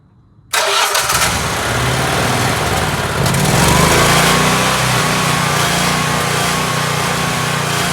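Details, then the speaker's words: Generac Guardian Ultra Source 15000 W standby generator started after oil and filter change (Royal Purple 5W-30 full synthetic, Fram PH4967 filter, about 1.6 quarts): catches straight away, steady even run, no knocks, misses or hunting; normal running. "So now what we have left is we just gotta fire it up and make sure everything's running fine. So when we need it, it's ready to go."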